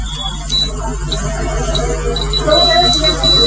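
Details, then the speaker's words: Multimeter continuity test on a mixer's internal thermostat overload-protection switch: steady high-pitched meter beep, broken now and then by probe contact, showing the normally closed switch has continuity and is working. "दोस्तों, अब ध्यान से सुनिए, एक beep की आवाज़ आ रही है। एक बजर की आवाज आती है।"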